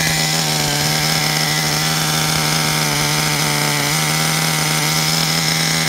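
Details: Traxxas Revo 3.3 nitro RC truck engine, retuned: high buzzy two-stroke whine at idle, steady pitch, no misfire or surging; healthy. Engine good; truck needs new transmission, spur gear missing teeth, starter motor and one-way bearing.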